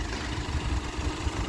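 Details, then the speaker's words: 2013 Nissan Navara D40 with the YD25 2.5 turbo diesel at 240,000 km, idling after an intake manifold decarbon, EGR clean, injector clean and oil change. A low, even idle with a steady beat and no knocks or misses; smooth and quiet. "That's running beautifully smooth. It's quiet."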